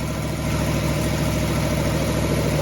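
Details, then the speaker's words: Ford Falcon 289 V8 at idle after flushing rust from the cooling system, which may have caused overheating at highway speed: rough idle with rapid sharp puffing ticks in time with firing, the raspy chuff of an exhaust header leak; "sounds horrible." "Well, please overlook the header leak. That sounds horrible, doesn't it?"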